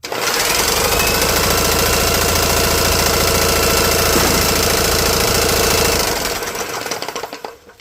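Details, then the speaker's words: GX200-type engine with 3D-printed side cover, spark plug out, spun hard by a drill: loud, fast, steady knocking fading as it slows; piston slap because the piston skirt is gone. "Yeah, you can hear the knock of that piston because the skirt's gone."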